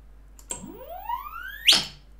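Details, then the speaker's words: VESC controller on firmware 6.00 beta 40 running silent HFI sensorless with motor inductance set too low: thin whistle climbs steadily in pitch, then breaks into a harsh burst as the controller loses track of the motor. "same thing will happen and that means that the inductance is a bit off and sometimes the inductance measurement is not great"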